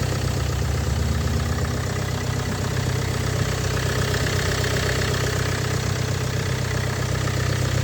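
A steady idle with a regular knock about four times a second riding over it; a cold-start knock, cause not yet pinned down.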